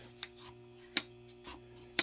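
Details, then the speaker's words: Barn-find Yamaha Virago carburetors with choke and throttle cables removed and the linkage freed. In a slap test each lifted slide drops and slaps home with crisp single clacks about every half second, showing the top diaphragms should be sealing without tears or pinholes. "if you hear that slide slapping down like that it tells you that your diaphragms up in the top of the carburetor here are uh or should be here"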